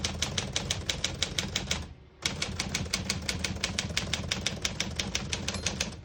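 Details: Serviced 1950 Smith-Corona Silent portable typewriter, margins just set: crisp, even keystrokes around three a second with a brief pause; typebars strike cleanly with no drag or sticking; working normally.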